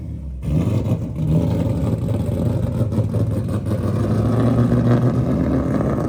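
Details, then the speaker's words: LS-swapped Nissan S14 with custom straight-pipe exhaust, first drive; uneven, lumpy note under light throttle that never smooths, then seems to stall; tune runs too rich, owner suspects it may have run out of fuel. "it does not run good at all oh did it stall I think it's stall it might have ran out of fuel"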